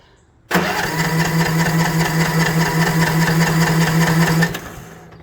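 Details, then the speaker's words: Troy-Bilt TB42 lawn mower after carburetor adjustment, choke on: starter spins steadily about four seconds with no puffs or firing; cranks without starting, little to no compression previously measured. "And we can still hear there's no puff coming from the engine. You should hear it trying to puff."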